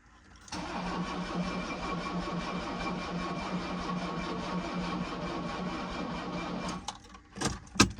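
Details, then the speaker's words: 1984 Mercedes-Benz 300SD diesel, possibly ran out of oil but not seized, injectors reinstalled: starter cranks steadily about six seconds without catching, tiring as battery dies quickly, no fuel reaching injectors yet; cranking no start, weak battery. "The battery does die pretty quick still. I don't think we have fuel up here yet."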